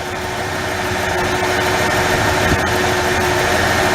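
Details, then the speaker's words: 1994 Ford F-150 4.9L inline-six at idle. Uneven beat with an occasional soft stumble as cylinder 3 intermittently drops spark, suspected primary ignition problem; ignition misfire. "There's a time during this period, it's a 30-second period, that get no spark. That's your miss."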